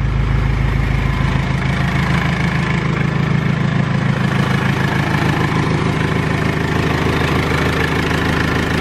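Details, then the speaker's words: R2.8 Cummins diesel swapped into a 1997 Jeep Wrangler, first start-up with gauges not hooked up; steady even diesel clatter at a settled idle, no misses or knocks, sounds good and healthy. "well I was idling or it sounds good I'm too nervous"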